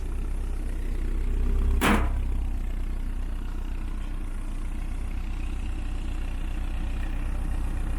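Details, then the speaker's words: 1972 VW Beetle with rebuilt 1997 Subaru EJ25 DOHC flat-four, back up and running; deep even low rumble with steady beat, no knocks or ticking, settling into a smooth healthy idle. "yeah she's beast she's a beast and she sounds like she sounds like a super v8"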